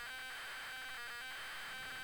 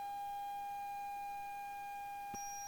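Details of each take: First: ZX Spectrum cassette loading from an unknown tape; a harsh buzzing loader tone breaks into irregular choppy bursts instead of a steady pattern; the signal is garbled and the game won't load. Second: Unknown ZX Spectrum tape, 128K version of Nemesis: The Final Challenge, played on tape deck; steady high pilot tone with short breaks and a brief dropout before resuming; ordinary tape loading signal.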